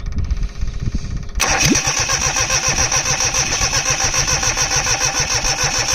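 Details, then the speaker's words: 2002 Cushman Truckster repowered with a Perkins 103-10 diesel, freshly bled, no glow plugs fitted, at about 60°F; the starter churns steadily at about 3.5 pulses a second without firing; lack of glow plugs is suspected. "This thing just must really need glow plugs to go. I mean, it's not hot, but it's like 60 degrees or something."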